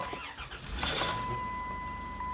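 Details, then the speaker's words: 2002 Chrysler Town and Country: the engine cranks and catches with a brief harsh rattle as it fires, then idles with a chime. It is likely a power steering reservoir with a dirty screen blocking fluid; the reservoir is to be replaced. "you hear that at the end there, that nasty rattle sound? That is often the power steering reservoir not allowing the fluid to get through because it has a dirty screen in it."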